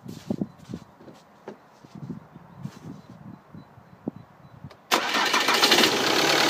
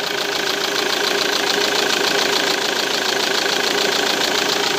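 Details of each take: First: Diesel with a Delphi pump, tested with a pressure sensor screwed into the fuel line: the starter cranks about five seconds before it catches and idles, a slow start from fuel lost when the line was opened; about 55 bar pre-pump pressure after. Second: Diesel engine with a Delphi pump, checked using an in-vehicle pressure gauge: steady, even idle clatter with no misses or stumbling; supply pressure around 55 bar, judged very good.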